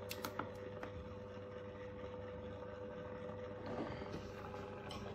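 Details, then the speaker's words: PSAP.3 positioner on a PSR-E-C valve actuator during commissioning at maximum set value: the small motor hums at a steady, even pitch as it drives to the open position, then the end-position micro switch clicks. Normal operation. "the actuator is running to the open position and you should hear the clicking of the micro switch in the end position yeah that worked"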